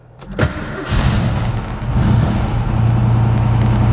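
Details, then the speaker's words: Ford Fairmont V8 at idle with the old-style exhaust cutout, bent after hitting the ground, with worn sunken ball bearings and rusty parts: a loose, buzzy rattle over the deep exhaust; replaced with a lower-profile cutout. "but as the car was running, it was rattling like crazy. It was driving me nuts. So just sitting there in idle, you'd get this."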